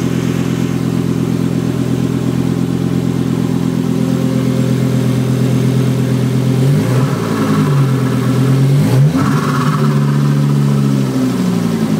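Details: Volvo S70 T5 with swapped-in 2000 V70R engine, first start, open downpipe: loud deep five-cylinder drone idling then blipped a few times, picking up cleanly; normal running.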